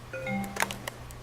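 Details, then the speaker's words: Damaged (smoking) hard drive after its PCB board was replaced, connected by USB and spinning: the computer gives a short two-note chime over a low hum on detecting the new disk drive, and the files are readable. "we hear the positive sign and here on the screen you see found new hardware disk drive so far everything is looking okay hardware installed ready to go"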